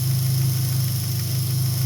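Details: 2003 Dodge Neon 2.0 after timing belt replacement and rebuilt head, with the original coil refitted in place of an MSD coil, idles smoothly with a steady, even low hum and no stumbles or misses.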